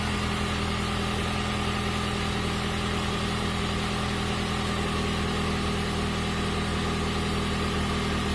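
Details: PT Cruiser GT, after repair with cam belts on, valve cover loose: smooth, constant idle hum with no clacking or ticking; engine now running clean.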